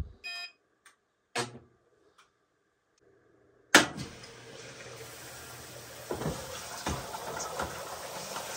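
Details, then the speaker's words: Amana front-load washer with LF code, hot fill on heavy duty cycle: sharp clunk then steady even hiss of water rushing into drum; filling normally. "we are getting hot water I will run a normal Circle it fills with warm water so it's a combination of cool and hot water here so at this moment you can hear the water wall that's making humming noise"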